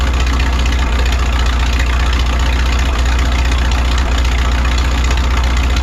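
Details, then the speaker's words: 1951 Farmall M tractor after replacing pitted points: low idle with uneven, stumbling pulse, still sputtering, hesitation unchanged; owner suspects the carburetor. "no luck there still doing the same thing but at least we know we have good points in there now"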